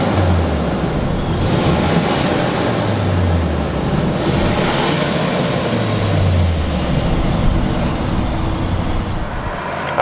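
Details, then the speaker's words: New 2019 Ford Ranger Lariat, 2.3L inline-4 EcoBoost turbo four with 10-speed automatic: steady even hum with gentle low pulse, nothing irregular; normal idle. "let's go ahead we're gonna fire up this EcoBoost Ranger and let you know what it sounds like"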